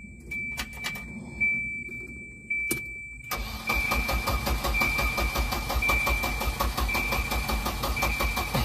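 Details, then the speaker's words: 1993 Volvo 240 wagon with a 940 B230FT turbo engine swap and M47 manual, first start attempt with the battery getting low: a chime and key clicks, then about five seconds of steady cranking that never fires; crank, no-start. "cranks, but we don't have, I don't hear a fuel pump. Oh, I hear it. Well, she cranks."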